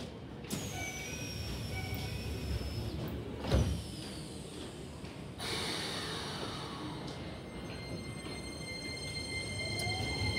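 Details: Keisei 3000 series, set 3022, door closing: the door chime comes out as thin, warbling, off-pitch tones; the chime has degraded.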